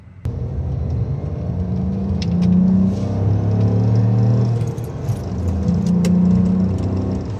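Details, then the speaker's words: 1998.5 Ford Contour SVT accelerating hard through gears, upstream O2 sensor faulty and limiting performance: pitch climbs and drops with shifts, intake note changes sharply midway as the manifold runners switch; intake runner switching under acceleration. "You can really hear that, you can really hear the fucking, the manifold opening and closing. It's pretty sick."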